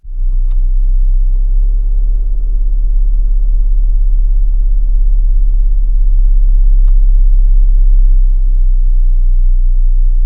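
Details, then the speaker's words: New 2026 Chrysler Grand Caravan SXT, warm idle stopped with brake on: switching the air conditioning off drops the idle and brings more of a heavy, steady 32 Hz cabin boom; cause unknown. "Turned it off, I got more of a booming. The idle dropped down."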